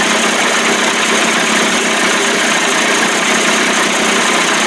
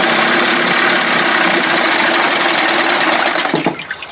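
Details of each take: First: 1989 Johnson Tracker 25 hp outboard warming up on restart: smooth even buzzing idle, steady speed, no misses or knocks; old cracked p-tube leaking at connection; owner suspects fuel pump may not be drawing fuel. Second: 1989 Johnson Tracker 25 hp two-stroke outboard, first start, carb mixture screw opened from 1.5 to 2 turns: runs fairly steady then wavers and drops unevenly, surging; owner suspects fuel starvation from hose routing straight up from tank, unconfirmed.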